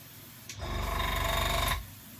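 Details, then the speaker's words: Older airbrush compressor set to 18 psi spraying pressure, compared with a new Gaahleri Apex Force ultra silent unit: short run of fast, even piston thumping with a rattly edge; loud enough to wake someone next door, sounds worn, cause not confirmed. "So yeah, if your friend or mother or son or whatever is asleep in the room next door, they're not going to be happy with you doing that."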